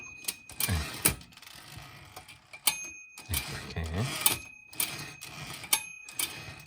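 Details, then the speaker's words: Used Olivetti manual typewriter checked before purchase: sharp typing clacks, then a clear, bright margin bell ding as the carriage reaches the right end; the bell trigger and spring work properly. "이렇게 올베티의 벨 소리는 이런 소리를 냅니다."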